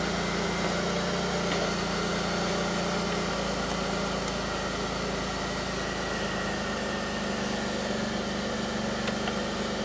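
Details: 2002 Pontiac Grand Prix 3800 V6, rough idle with bogging and no check-engine light; owner also reports faint intermittent thumping and alternator overheating, with live data logged via Torque app over Bluetooth OBD2. Uneven idle that sags and recovers over several seconds; cause unclear.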